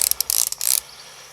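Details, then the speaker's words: AEG BSB18BL-0 brushless drill spinning free: a fast, dry rattling chatter that disappears under light load. Ratcheting noise at no load, suspected gearbox backlash. "like some kind of adjustment in the gearbox like it's like a no-load kind of thing when there's no load on it makes it but put some light on it it doesn't make the noise"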